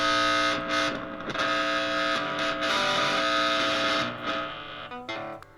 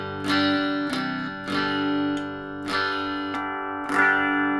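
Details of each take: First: 25-year-old Squier Venus electric guitar, plugged in and played: harsh, distorted buzz under the notes that cuts in and out and stops if the body is banged. Intermittent buzz, suspected faulty wiring. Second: 25-year-old Squier Venus guitar after diagnosing and resoldering to cure a long-standing buzz: clean-channel chords ring and decay through both pickups with no hum, crackle or buzz; normal clean guitar signal.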